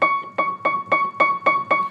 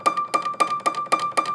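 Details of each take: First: Piano key struck seven times in two seconds after its hammer flange screw was tightened, each note clean and even with no click; loose flange screws on other keys cause clicking. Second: Piano key played: sharp, dry clicks about four a second, even when the hammer doesn't hit the string, caused by a loose hammer flange screw; fixed by tightening the screw.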